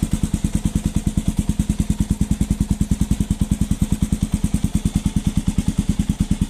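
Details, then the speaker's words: Falcon motorcycle single-cylinder engine started cold in the morning; even thumping about nine beats a second with a light tick on each beat; mechanic says it is the compression valve and normal cold-start valve noise. "levei no mecânico e o mecânico me falou que aquilo era normal Aquilo é a válvula de compressão que tem na no motor da moto"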